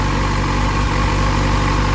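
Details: Motorcycle idling after repair; corroded, poor connectors likely caused resistance that overworked and burned out a part and melted connectors. Smooth, even single-cylinder idle, steady low beat, no misses, knocks or surges; healthy.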